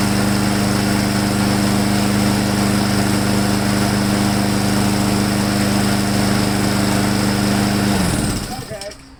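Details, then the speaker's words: Husqvarna mower after installing a modified replacement carburetor, on restart after an earlier sputter: steady, even buzz at constant speed for about eight seconds with no sputter or misses, then shutdown; running smoothly. "No sputter in it anymore. Seems to be running really smooth."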